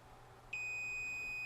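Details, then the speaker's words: Multimeter continuity beep across the 3.15 A fuse and its holder on an old time-delay circuit board, after pre-tensioning the fuse holder clips: a steady, unbroken high-pitched beep; good continuity. "And we definitely do have good continuity."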